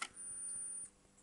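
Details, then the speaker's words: Philips N2400 tape recorder after mechanical overhaul: quiet mechanism hum cuts off cleanly under a second in, leaving near silence as the motor shuts off immediately; normal auto-stop at end of tape, no more screeching or rattles. "And you see the motor shut off immediately."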